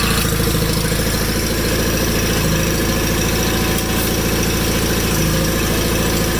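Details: 1987 John Deere 318 with 1200-hour Onan P218G twin after starter replacement, first start: steady even twin-cylinder chug at idle, quiet hydro drive with no whine or knocks; normal idle.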